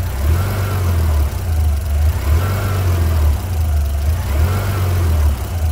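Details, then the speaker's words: 2003 Mitsubishi Pajero NP 3.8L V6, check engine and traction control lights on, code P0100: low idle surging and sagging about every two seconds, RPM fluctuating; rough idle from faulty MAF sensor. "so you can see the the traction control light is on and you can see the the RPM getting fructuate so you can see the the engine is rpm is not right"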